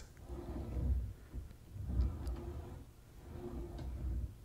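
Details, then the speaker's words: Drawer on long metal tracks with plastic wheels, after a DIY fix to quiet it: three soft, low rumbling slides with no rattle or clatter; not perfect but much better, quiet drawer slide. "yeah although it's not perfect it is a lot better"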